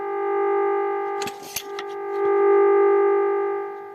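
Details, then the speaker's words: Vintage Radione WSH3 tube radio during repair, tuned to 900 kHz with signal generator: steady pure amplitude-modulated test tone from earphones with brief handling clicks; receiver demodulating cleanly. "now what you hear is uh 800 HZ uh tone that is coming with the amplitude modulation"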